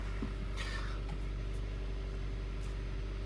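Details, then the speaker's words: Kia Ceed 1.6 G4FC petrol engine after teardown, full rebuild and cylinder sleeving, first start, cold before warm-up to 90°: smooth, quiet steady idle with low hum, no knocking. "Работает ровненько. Работает тихо."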